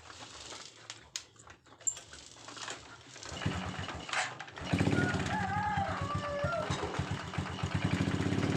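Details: Honda Supra X 125 motorcycle starts, then settles into a quick, uneven clatter of about four knocks a second at idle; a top-end clack of unconfirmed cause, exhaust removed next to investigate.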